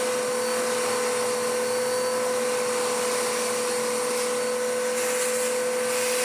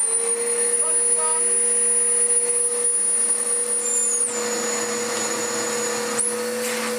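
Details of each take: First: Dirt Devil DD6114 vacuum, an Electrolux Contour clone, long stored damp, old belt smelling hot: steady clean motor whine with strong rushing airflow, no surging; airflow much improved after initially abysmal suction. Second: Dirt Devil DD6114 Electrolux Contour clone vacuum, first run before restoration, long-stored and damp: high motor whine with rough rubbing drone, smell of hot belt; overly thick, ill-fitting drive belt slipping; belt noise.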